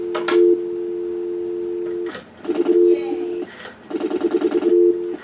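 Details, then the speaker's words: Western Electric 302 rotary telephone from 1940 with rebuilt metal alloy cover, heard through an audio assistance module: steady dial tone, then bursts of rapid even clicks chopping the tone as the dial returns; dial pulsing normally. "you can hear the dial pulses."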